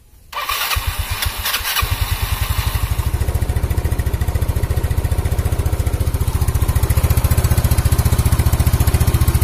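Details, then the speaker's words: Yamaha Mio scooter after engine rebuild for oil smoking (oversize 50 piston, valve seals, gaskets, new plug), first start to check oil pump: brief crank, steady even single-cylinder idle, no knocks; normal start and idle. "Ok sekarang Coba kita hidupkan dan kita tes kompa oli dari motor ini"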